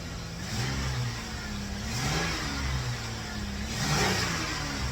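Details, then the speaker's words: 2004 Toyota Avalon after timing work (previously a tooth off) and O2 sensor wiring repair, cold start and free revs: slightly uneven, lumpy note; a little rough, though owner suspects not the O2 sensors. "A little rough, but I bet you it's not O2 sensor."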